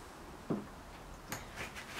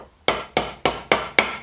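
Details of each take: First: Look Keo2Max pedal bearing rebuild, pressing new ball race into pedal: steady hammer taps, sharp ringing note; sound changes once fully seated — not there yet, bearing not fully seated. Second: Look Keo 2 Max pedal bearing rebuild, old grumbling bearings replaced: six even hammer taps about three a second, the last few ringing brighter and sharper as the new bearing bottoms out fully seated, a clearly changed sound.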